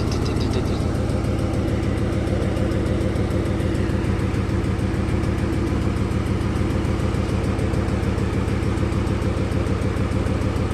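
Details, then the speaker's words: 2008 Ford Mustang GT (S197) V8 donor engine with 75,000 miles, just installed as a replacement for the noisy original; steady, even idle rumble with smooth firing, no knocks, misses or ticks. "this motor has 75,000 miles on it see sounds perfect that sounds definitely not not too bad as the last one"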